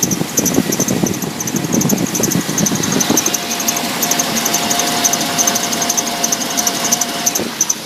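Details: 1997 GMC 1500 5.7 Vortec V8 running: high, pulsing squeal and chirp from the accessory belt; water pump, idler and tensioner pulleys, and alternator already replaced; power steering and AC compressor spin freely; cause unknown.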